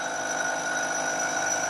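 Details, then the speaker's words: Milling cut on a part cantilevered out of the vise jaws: steady high squeal of chatter grows as the cut moves toward the unsupported end, worse the longer the overhang, causing poor surface finish. "you can hear more and more vibration. And you can imagine that that gets worse and worse as the part gets longer and longer."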